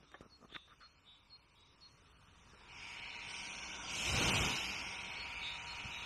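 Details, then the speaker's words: New DJI Air 2S drone on standby, not flying and props still: quiet clicks, then a steady high airy hiss swells in and holds as the cooling fan runs at full blast; the body heats quickly, and the owner is unsure whether this is normal. "now when i say it has kicked off it sounds like it's in full blast it is really powering it and this isn't obviously flying right now the pops aren't spinning"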